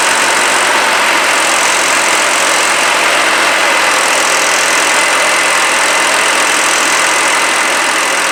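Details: 2007 Jinma Smartrac 284 tractor, Chinese Y385 diesel, after injection pump replacement with adjustment maxed out (owner suspects timing gears one tooth off): loud constant clatter at settled idle, no stumbling or hunting; running normally.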